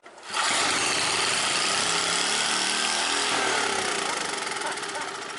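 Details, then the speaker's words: Old generator after the governor shaft was turned counterclockwise. The owner realised this changed governor sensitivity, not maximum RPM. The engine screams at a high, strained pitch, then revs drop back; over-revving. "Way too high. She was over revving a little bit."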